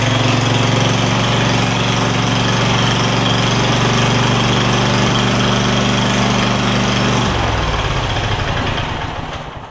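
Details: Craftsman DYS4500 lawn tractor, Kohler Courage V-twin after swapping the 12V ignition module to traditional coils, new spark plug: strong, even firing beat at high speed drops smoothly as it throttles down; both cylinders firing cleanly, engine healthy.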